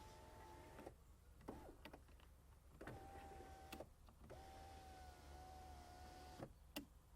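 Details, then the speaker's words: Skoda Fabia Mk1 1.9 PD front door after replacing the electric window regulator and carrier, battery reconnected, ignition on: smooth steady motor whir, clean stops, no grinding or clicking; window works normally. "Put the key in ignition, turn it on, and hey presto, it works."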